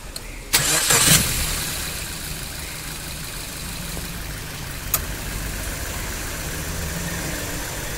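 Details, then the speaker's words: Maruti Suzuki Baleno, AC belt removed to chase a humming noise heard when revving or pulling away in gear: engine starts and idles smoothly with no hum, so the AC compressor is suspected as the noise source. "तो friend अभी तो हमारा आवाज नहीं आ रहा है जो sound आ रहा था तो हमें लगता है कंप्रेसर का ही प्रॉब्लम है"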